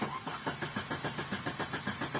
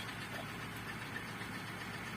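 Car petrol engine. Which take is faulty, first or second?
first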